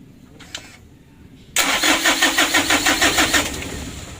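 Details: Mitsubishi Canter HD 125 diesel (possibly 2025) before Bosch injection pump repair: starter cranks in an even beat about three times a second for two seconds without catching or firing; worn pump plungers, no start.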